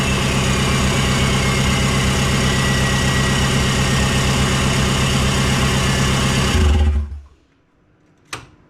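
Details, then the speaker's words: VW Jetta TDI diesel, idling on a newly loaded tune after computer reinstall: steady, even diesel clatter with no hunting or misses, then a clean shutdown; idling healthy. "But running on a new tune finally. It's about time."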